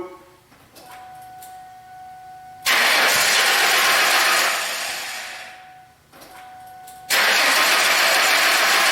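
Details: 2000 Ford Mustang no-start: the starter cranks steadily in long bursts with no catch or firing; no fuel pressure was found and the fuel pump is suspected, with the tank to be dropped.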